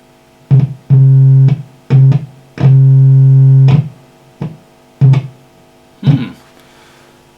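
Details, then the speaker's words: Marshall JCM900 amp with low-volume distorted output, signal generator input: a steady low test tone cuts out and back in several times as the socket contacts are pressed; an incredibly sensitive, faulty jack contact. "so that's just i'm just pressing these contacts down again wow that is incredibly sensitive that socket"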